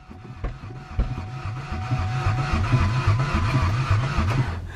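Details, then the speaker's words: Ford Ranger, suspected mud-bogged and possibly hydrolocked with no coolant, at the junkyard: slow labored starter cranking about 3.5 turns per second, never firing, even on a fully charged battery; cause not confirmed. "I'm cranking a little bit slow let's let's try a different battery fully charged battery on there let's see if she goes come on baby"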